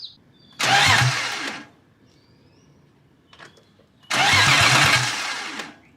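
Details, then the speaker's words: BMW E36 with M52 engine swap, OBD1 to OBD2 conversion, no oil or coolant yet: two one-second starter bursts spin freely but never fire; crank no start, owner suspects crimped-off fuel line starving fuel. "Well, at least it cranks. It's not turning over. I'm kind of scared to just fucking turn it on. So, still trying to figure out why it's not starting."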